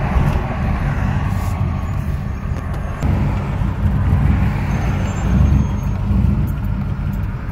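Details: 1997 GMC 5.7 V8 that runs great until warm, then misfires: deep rumble with an uneven, stumbling beat; distributor, plugs, cam sensor, fuel pressure regulator, intake and MAF already replaced.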